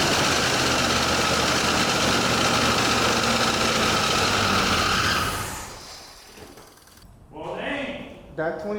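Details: 1984 Chevrolet Monte Carlo SS V8, first runs after sitting 22 years: steady fast-running raised idle for several seconds before dropping away; a popped-off line suspected of causing the high idle.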